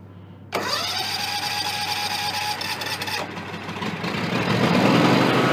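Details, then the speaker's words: John Deere X300 rider, Kawasaki FH engine, 17 hours, after cleaning the stuck fuel shut-off solenoid, choked, black smoke: starter cranks briefly, then engine catches and settles into a steady, even run; normal start after repair. "gas kind choke it we're getting adequate fuel through the [Music] carburetor as indicated by the black smoke"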